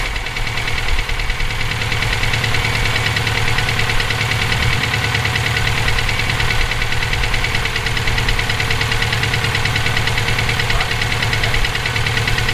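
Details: EJ257 at idle: a steady, fairly quick knock stays constant over the idle, present for about 17k miles since purchase; owner suspects rod knock, a spun bearing or valve lash needing adjustment. Cause unconfirmed.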